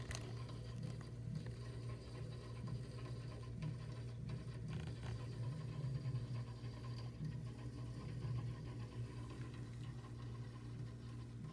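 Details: Frigidaire chest deep freezer running: low steady compressor hum with an uneven rattling patter on top, an abnormal noise besides the compressor.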